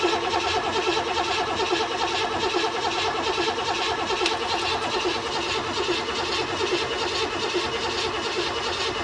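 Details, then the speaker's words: 1969 Buick Special Deluxe, 430 big-block with a big cam, first start after sitting over a year and fogged before storage: electric fuel pump shut off, steady even starter cranking with no firing, turning it over only to build oil pressure. "crank it over until it makes some oil pressure it has an electric fuel pump so I can just shut that off and crank the engine until it gets the oil moving"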